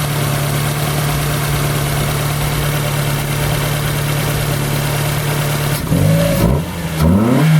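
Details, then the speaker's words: Car #92 after work on the exhaust manifold, revved to around 4000 rpm before warming up: steady idle then sharp revs with a raspy ticking puff; exhaust felt escaping at the side, owner thinks the manifold will leak again. "feel it a little bit of exhaust so I think it's going to leak out again out of the side which sucks"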